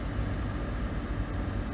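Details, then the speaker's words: Jeep started cold at about -10°F, idling roughly with an uneven beat that never settles; still misfiring after about 10 minutes of running and barely warmed up: cold idle misfire. "here's what our thermometer is sitting at right now and uh it is still misfiring"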